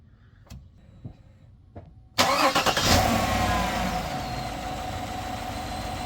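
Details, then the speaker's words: Truck fitted with a new solid-state battery, voltage dropping only to 12.28 V while cranking versus about 10 V on the old battery: a brief fast crank, then it catches at once and settles to a steady idle with the alternator at 13.7 V; healthy start. "I don't know if you can tell how fast this thing cranked, but it cranked like crazy."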